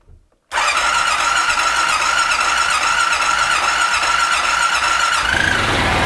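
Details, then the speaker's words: 2001 Honda Rincon ATV, sat over two years, cold start on choke after carb clean and rebuild, fuel on reserve: silence, then catches at once into fast, even choke idle with no misses; healthy cold start. "there we go go ahead and open up garage door back there let it idle here for a minute let it warm up sounds really really good"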